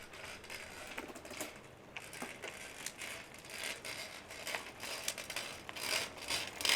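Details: Shimano XT 12-speed Micro Spline rear hub (M8110): dry, irregular creaks and ticks, about one a second, from the freehub, which needs grease.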